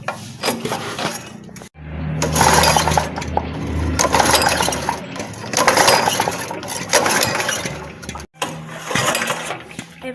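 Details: Honda gasoline water pump with fuel present and choke closed: recoil pulls spin the engine repeatedly but it never fires. No-start caused by sand and dirt clogging the carburetor, fixed by cleaning the carburetor, air filter and spark plug.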